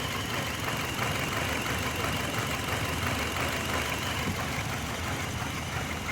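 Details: 2005 Hyundai Matrix with intermittent check-engine light, scanner code P0302: idle has uneven lumpy pulse with recurring stumble; cylinder 2 misfire, uneven injection between injectors, injectors to be removed and bench-balanced.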